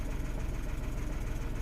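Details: 2016 Renault Twingo 1.0 three-cylinder with something disconnected during repair, no codes or misfire counts shown; low, lumpy idle with uneven pulse and slight stumbles, no clear misfire beat; running a little rough at idle.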